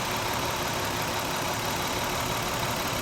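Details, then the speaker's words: 2000 Toyota Avalon 3.0 VVT V6, warm idle: uneven fluttering beat with one cylinder dropping out — misfire, cause being diagnosed. "the engine has a distinct miss you can hear it fluttering it's just going you can definitely tell it's dropping a cylinder"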